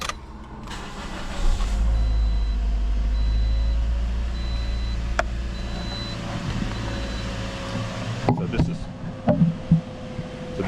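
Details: 2010 Toyota Corolla after a crank-no-start was diagnosed as a defective fuel pump, confirmed with a pressure gauge, and the pump replaced: the engine cranks and fires promptly, then settles into a steady, even idle with no stumble; it starts and runs normally.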